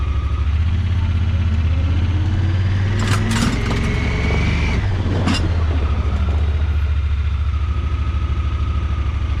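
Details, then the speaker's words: Honda Pioneer 1000-5 side-by-side that was running rough, after spark plug replacement; steady, even idle with no misses or stumbles while backing up and moving forward; fixed. "Idling good. Back in reverse."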